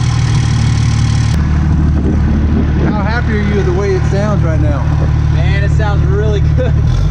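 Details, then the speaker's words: 2007 Ram 2500 4x4 dually diesel just after installing new Flux 103% over injectors; steady even diesel clatter at idle, no misses, knocks or stumbles, healthy, injectors were the problem, not a locked motor; normal idle. "oh yeah baby she's healthy she's happy injectors do the trick"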